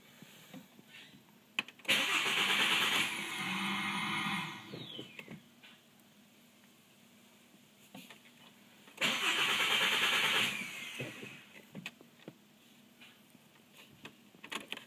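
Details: Volkswagen Rabbit: two bursts of steady starter cranking, each a few seconds, and the engine never catches; crank no-start.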